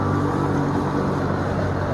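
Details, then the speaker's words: Smooth, even low hum from the Kobalt 80V MAX brushless self-propelled electric lawn mower (gen two), blade spinning cleanly with no rattles, surges or pitch wobble; quite quiet, normal running. "you can see it's it's quite quiet"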